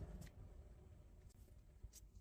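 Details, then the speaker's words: Underfloor heating circulation pump after replacement (noise had been suspected from sludge, debris or a damaged impeller): soft, steady low hum with no knocking or grinding, normal quiet running. "Feel that hum. A steady spin. The pumped impeller. And it's nice and quiet."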